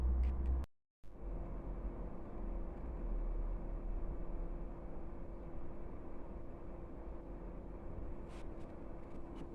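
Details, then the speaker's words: Chinese diesel heater in a garage, earlier damaged by the owner while rewiring, giving error codes E-3/E-6 (glow plug indicated, but the fault was the motherboard), now fitted with a motherboard borrowed from another heater: a low even rumble as the fan spins up while warming, a normal startup. "still warming up guys uh in a minute you'll hear the the pumps start ticking uh but this is a good sign so far"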